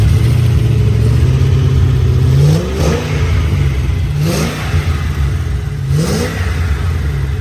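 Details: 3V Mustang GT 4.6 V8, newly installed engine with new clutch, flywheel, headers and the original Steeda underdrive pulleys, after first start: three loud deep blips with crisp rise and clean fall, steady idle between; normal revving, engine healthy.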